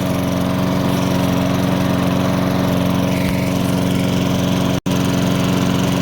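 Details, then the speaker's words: Discarded lawnmower engine after chasing a hard metallic rapping noise: steady, even drone with smooth firing and no rapping; rapping gone, now sounds like a normal mower, though it has only 0-20 oil and needs better oil. "okay so here's a rundown what we know that hard metallic rapping noise could gone away sounds like a normal lawnmower now"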